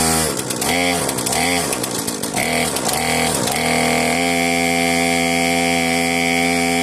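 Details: Cheap modern chainsaw, a marketplace find without a trigger hold, pull-started: a few throttle blips, then a steady, buzzy two-stroke idle that holds without dying. It runs on old fuel left in the tank and the carburettor works. Normal idle.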